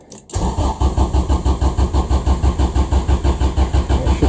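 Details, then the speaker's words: Honda Civic EF project car cranks with an even rhythm of about two pulses a second but never fires or restarts; apparently no trouble codes, distributor cap cleaned of white deposits; cause suspected, not confirmed. "basically Garret again car's not starting at the moment sounds like he wants to but it's not restarting"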